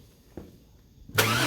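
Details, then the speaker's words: 1999 Chevrolet Tahoe Vortec V8 after upgrading central-port spider injection to multi-port, possible brief sputter from trapped air expected; after a short quiet spell it catches at once and settles into a steady, even idle, clean healthy start. "It's going to maybe make it, you know, sputter a little bit, but it should clear right up."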